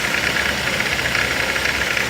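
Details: 2008 Ford Focus 2.0 16V Duratec, automatic; fast rattly knocking over the running engine, sharpest in upper range, appearing when put in gear under load, not in neutral; seems to come from the top near valve cover, accessory belt/alternator being checked; cause unknown.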